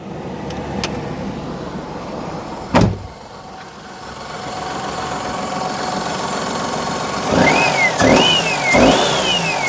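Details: Perodua Kenari after adjusting belt tension, idling evenly under full electrical load: no belt squeal, just a slightly wandering idle from variable idle control. The belt sounds fine.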